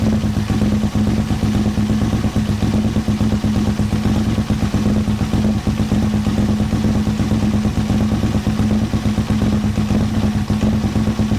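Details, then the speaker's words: 2000 Aprilia RSV 1000 V-twin (fuel injected) idling after mixture (richesse) adjustment left it totally out of setting; loud, uneven lope and stumbles; rough idle from incorrect fuel mixture. "J'ai touché à la richesse, donc là, la richesse, c'est pour ça que c'est totalement déréglé."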